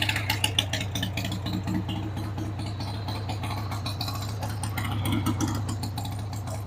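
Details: 1993 Harley-Davidson Sportster 883 Evo V-twin, stored about 15 years, started on starting fluid with a dead battery: it idles on its own but lumpy and uneven, with light rattles through the beat. The carb needs cleaning.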